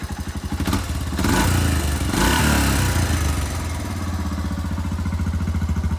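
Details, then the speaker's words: Honda Foreman 350 4x4 ATV after its rusted, rattling muffler was rebuilt and refitted: a steady, even, muted single-cylinder thump at a slightly raised idle, with no rattles or blowing. The exhaust sounds healthy; normal idle. "let's start it up and see what it sounds like i'm pretty happy with that"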